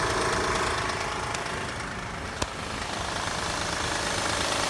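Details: Fast light knocking, about three a second, over a hissy idle right after a cold start following an overnight park in cold weather; the knock goes away once the engine warms up.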